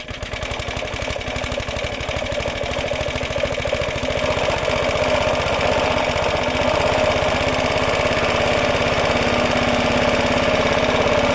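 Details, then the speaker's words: Roughly 70-year-old Suffolk Super Punch 17-inch cylinder mower, SIF 75cc cast-iron engine, running with oil and petrol added after carb and points clean, microphone fitted; even beat about three or four pops a second, settling smoothly; healthy normal running. "what a lovely little sound like a cracked little engine"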